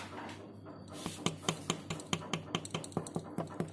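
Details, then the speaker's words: MP new-engine motorcycle with fast oil consumption, opened crankcase: connecting rod rocked by hand gives sharp irregular clacks about twice a second, loose play from a worn connecting rod bearing, heard running as a low-rpm knock. "Bro, ini stangnya bunyi. Kena ini. Jadi kalau di RPM bawah dia terdengar suara deg deg deg deg deg deg deg deg gitu."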